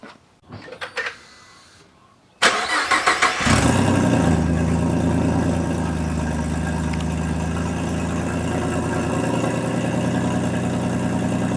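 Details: Swapped 3.7 V6 Mustang with a big single turbo, cold start after the fabricated exhaust fix: a brief starter whirr, then it catches, flares and settles to a steady even idle with no ticking or puffing; sounds healthy.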